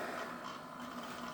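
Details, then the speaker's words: Bachmann GP40 Rio Grande DCC model locomotive running slowly without cars: steady buzzing hum over the motor's whirr that lessens at higher speed; unexplained motor hum. "pretty pretty good and slow but you can still hear that noise now it does get a little better noise wise when we speed up"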